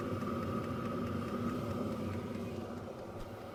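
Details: Hcalory TB2 diesel heater after one year of use, microphone close to the downward-pointing exhaust: soft steady exhaust chuff with even high fan whistle, no misfires or surging; normal clean running.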